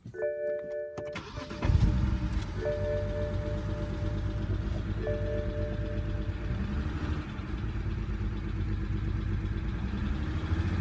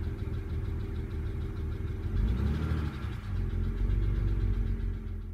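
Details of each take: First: BMW 135i E82 N54, just after engine rebuild: cranks, catches, then slightly uneven idle from cylinder 6 misfire (P0306); still smoky; owner suspects an old part, plans swapping in a new one. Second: BMW 135i (E82) N54 petrol engine after a rebuild, idling: steady low hum and even rhythm, running smoothly after the cylinder 6 misfire (P0306) troubleshooting. Normal idle.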